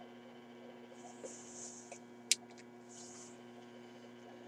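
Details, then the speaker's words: RCA Victor 94BT1 radio during final alignment, original speaker on the output transformer, tuned near 600 kc with a signal generator: only a steady low mains hum comes out and the expected 1000 Hz test tone is missing. Cause unclear. "volts on the D plus supply I think we should be hearing a thousand Hertz Tony coming out I don't quite understand why we're not hearing the tone"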